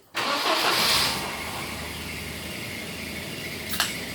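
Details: 1991 Volvo 245 wagon, stock, 250,000 miles, after starter work on a starter that sounded like a wood chipper: short, eager crank catching almost at once into steady, even idle; starter engages cleanly.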